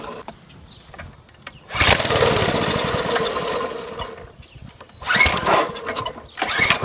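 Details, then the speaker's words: Small mini-bike engine trying to start after sitting six years, sprayed with starting fluid. Uneven cranking bursts with brief sputters that never catch; the clutch is heard sticking and the carburetor may need removal. Cause suspected, not confirmed. "I don't think we're going to have success today"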